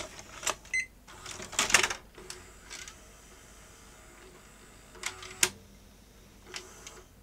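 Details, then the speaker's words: Panasonic AG-4700 S-VHS deck with TBC (K-mechanism) powered up with a tape inserted; a few sharp plastic clicks and brief motor whirs, then it stalls; cassette fails to half-lace. "that doesn't feel right it should have half laced I think and if I hit play nothing happens so this deck is behaving weirdly"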